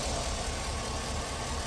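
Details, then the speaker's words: V8 travel rig at idle after topping up power steering fluid: smooth, steady, low rumble with the pump whine gone, possibly slightly overfilled; normal idle. "that wine instantly gone you know I I probably put quite a bit in here maybe a little bit too much"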